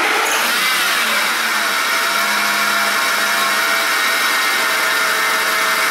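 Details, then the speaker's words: Ford F-150 engine running: steady rough growl from the belt drive area, typical worn idler or accessory pulley bearing noise, located by listening pulley by pulley. "anything that runs with a belt and has idler pulley is prone to making this noise where uh you know it's your typical bearing noise it growls"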